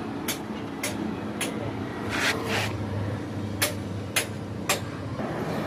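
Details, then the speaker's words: TMX125 Alpha with weak spark, no-start: sharp kick strokes about twice a second, never firing. CDI and ground checks were good and the CDI socket was cleaned; the faulty ignition coil was replaced with a universal unit. "guys na-testing ko na lahat ngayon par may problema sa kanya yung ignition coil ta-try natin palitan muna ng ignition na bago ito siya universal"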